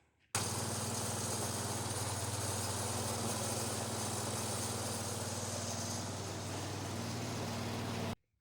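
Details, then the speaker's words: Swapped-in 16 hp Kohler K341 single-cylinder, down on power for about two years, shaking: rough, uneven pulse about four times a second; knocks when hot, crank suspected spun, likely needs a crankshaft. "And when it was hot, it was knocking, so this thing I'm pretty sure is going to need a crank."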